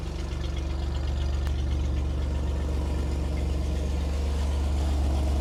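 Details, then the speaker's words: Vintage flat fender Jeep with Sniper 2 EFI after a new vented, baffled tank with in-tank fuel pump, fitted to fix fuel delivery and aeration problems: steady, unchanging low idle rumble with no misses or knocks, fuel pressure a bit over 60; normal idle. "it starts right up we got 60 it doesn't leak when it's on it's got pressure"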